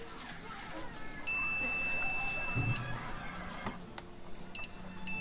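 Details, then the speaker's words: China CRT TV with a dead 110 V output supply: multimeter continuity check, one lead on ground and one on the 110 V diode cathode, gives a steady high beep of about 1.5 s then a short one; the supply line is shorted. "then you can see means very short short is visible"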